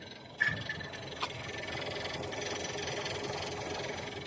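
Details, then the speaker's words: 2014 Volkswagen Lavida (朗境) 1.4T automatic, EA211 direct-injection engine at idle; light rhythmic ticking from the high-pressure fuel pump, normal for EA211, not engine wear. "这高压油泵出来哒哒哒有节奏的声音，这个是高压泵出的声音，不是发动机出的声音。"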